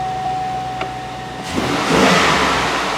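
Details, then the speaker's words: 2005 Chevrolet Tahoe that hadn't run in a long time, crank-no-start after a power steering pump job with the mass airflow sensor left unhooked: after the fix it catches at about 1.5 seconds and settles into a strong, even run. "and when they're running we're gonna run because this baby's done and it runs and that's all he wanted"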